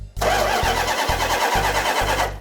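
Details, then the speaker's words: 1972 Dodge Charger Rallye: starter grinds in even surges with a few scattered pops but the engine never catches; it now turns over but won't start because the plug wires are in the wrong firing order. "at first it wouldn't even turn over not that problem resolved now it will turn over but it won't start"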